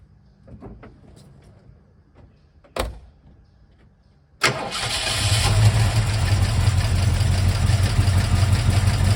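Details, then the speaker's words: 1971 Mercury Comet GT with roller cam, loud clacking and poor running: after start, chuggy uneven idle with clacking about three per second; failed roller lifter suspected, possibly cam. "You hear it chugging too. Yeah, it has a small cam in it, but it doesn't sound good."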